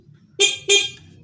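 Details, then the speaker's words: Honda Supra 100 motorcycle, brought in because it won't crank strongly on the starter despite a new battery; ignition on. Two short, loud, clear horn honks with a bright steady tone and no rasp. The horn sounds strong and healthy. "banter ya bos, klaksonnya."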